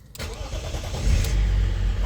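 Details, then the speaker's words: BMW E39 525d 163hp diesel after replacing the in-tank fuel pump, whose connector had melted: the starter cranks briefly, then the engine catches into a strong, steady low rumble. It sounds different than before and the fuse no longer blows; healthy start. "¿Te gusta cómo suena o no? Suena brutal. Suena diferente, ¿no? Antes no sonaba así."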